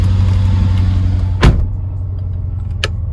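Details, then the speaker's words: 2011 BMW X5 50i with N63 V8, ignition coils overdue past 60,000 miles: lumpy, uneven idle with irregular shake and check engine light; owner suspects a failed spark plug or ignition coil causing rough idle. "the second i started up it's gonna show a check engine light and it's gonna idle really rough oh you can already hear it sounds disgusting"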